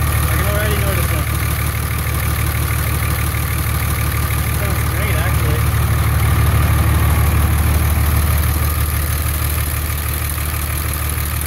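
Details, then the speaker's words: 24-valve Cummins diesel with about 330,000 km, cold start with valve cover off right after valve lash adjustment (all but one valve needed it): steady, even idle about three beats a second, no ticking, considerably quieter; normal idle. "well it's considerably quieter wow"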